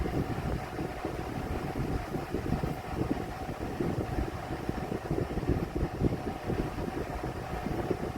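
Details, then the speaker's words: Vornado 12-inch oscillating Silver Swan Alchemy desk fan, about 3 years old, found on the curb, at speed: loud rushing drone with rough uneven rattling, owner says it seems out of balance; cause not confirmed; fan rattle. "This thing is kind of out of balance, so. And I can still hear a lot of rattling going on."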